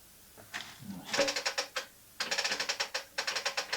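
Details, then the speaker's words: 1974 Norton Commando gearbox, primary drive belt removed, investigating a clunk when kicked over and in gear: quick light metallic ticks, about a dozen a second, as the kickstart is pushed; kickstart ratchet ticking, faster than the clutch-spin ticking, so a different issue. "you can you can hear the kickstart mechanism ticking much much faster than than that one. So, it appears to be a different issue."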